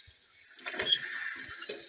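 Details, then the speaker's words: Squeaking from a horizontal Stirling engine on a test run as the fire dies down, after fitting a new mild-steel annular regenerator, lubricators and brass piston guides; thin squeals over a soft chuff, hot-side brass guides suspected of softening and gripping the steel. "um it was running quite well but the fire's starting to die down now there is quite a lot of squeaking going on it"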